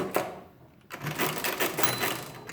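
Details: Marchant KE mechanical calculator after full rebuild, final demo: quick clattering run of gears and ratchet clicks, then a second burst; ratchet prevents reversing mid-cycle, cycles normally and smoothly.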